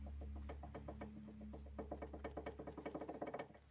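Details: Daewoo Lanos: quick hollow knocks, about eight a second, over a low hum from a worn front ball joint; torn boot let moisture in, washing out grease, rusting the pin and wearing the bushing.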